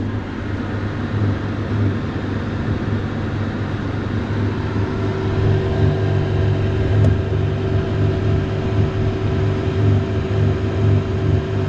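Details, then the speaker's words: Victron Phoenix inverter feeding a Multiplus in series hums up and down when a portable air conditioner runs; wavering electrical hum with a steadier higher tone as output repeatedly drops out and cycles; owner suspects too much inductive compressor load. "it makes this weird noise as if the power output again drops out again see gone and it keeps cycling that until forever"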